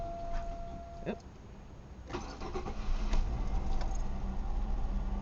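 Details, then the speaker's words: Chevy 3.1 V6 in a 2000 Malibu, after replacing the faulty fuel pressure regulator: short crank, catches at once, idles about 1000 rpm cold, will drop to about 800 warm; even idle, no stumbling. Before repair it was hard-starting. "it's hitting right around the thousand rpm range once it warms up it'll drop down to about eight hundred which for this three point one is about where it idles"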